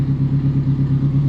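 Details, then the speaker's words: Time-attack Toyota MR2 race car, 686 bhp at the flywheel, rebuilt after a crash, first start after charging its small low battery: lumpy, choppy but even, unbroken idle with a deep pulse; runs healthy. "okay so after charging the battery it started so you can see it's running you can probably hear it"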